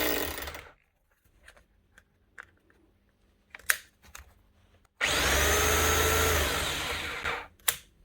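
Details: 20-year-old Bosch GBH 4 DFE SDS+ hammer drill, previously not hammering with heavy motor sparking, after armature work and regreasing: short taps then a steady two-second hammering run, even pitch, no grinding; hammer mechanism working normally.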